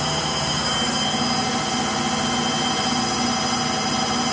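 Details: Frigidaire Gallery front-load washer GLTF1670AS1 in final high-speed spin: steady loud jet-like roaring rush with no clear rhythm; bad motor bearings.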